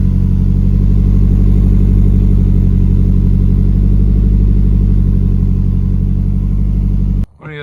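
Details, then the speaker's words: 1992 Nissan 240SX S13 with SR20 swap, leaky valve cover gaskets; steady even idle with smooth low rumble, no knocks, misses or hunting. Normal idle, engine sounds good. "she does sound good though"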